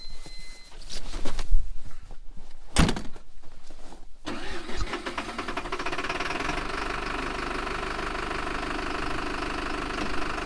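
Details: '99 PistenBully 100 snowcat diesel, about 7,000 hours, warm, a day after a leaking hose was replaced; cranks, catches, then even low rumble at a steady idle with no knocks or misses; normal idle.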